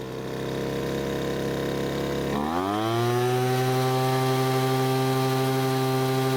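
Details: Poulan Pro blower that stopped running mid-use, after H-screw carburetor adjustment: revs smoothly from a buzzing idle to a steady, even high-pitched wail at full throttle with no surging or sag. A loose bolt was later suspected as the cause.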